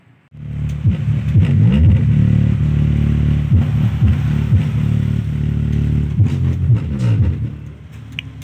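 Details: Harman Kardon SUB-TS11 subwoofer after repairing components corroded by glue: deep, clean bass thumps strongly with no rasp or buzz; the amplifier now plays normally.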